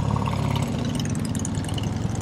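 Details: 1971 BMW R75/5 with a 750 cc air-cooled opposed twin and four-speed gearbox, idling: a steady, even low idle with a smooth beat and no knocks or rattles; normal idle.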